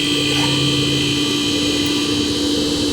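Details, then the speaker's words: Refrigerator that stopped cooling because the compressor would not start; after replacing the compressor start relay, the compressor starts immediately with a steady, even hum and no clicking or cutting out, running normally. "and the compressor compressor started right up okay so uh i think i fixed it"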